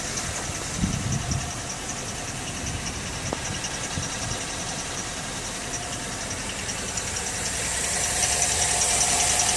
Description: 2010 Terrain (13,000 mi) metal on metal chirping noise. It begins once the vehicle has warmed up well. Progresses after being driven. Quiets upon acceleration.